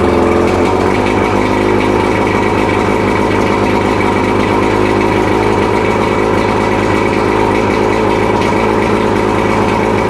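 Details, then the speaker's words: Mercury 115 two-stroke outboard after 18-month rebuild fixing worn-piston idle knock, restarted running extra oil: slight hesitation at start, then steady even idle with smooth unbroken beat, no knock; piston knock gone. "We got, she's firing up, she's idling, she's running good, and all that piston knock is gone."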